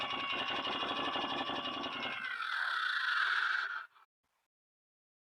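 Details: 2008 Can-Am Outlander Max XT 500 with overheating, limp mode and blown fan fuses: aftermarket cooling fan spins up with a steady rapid ticking, about four a second, then a rising whir as the blades rub on something; cooling fan rubbing noise.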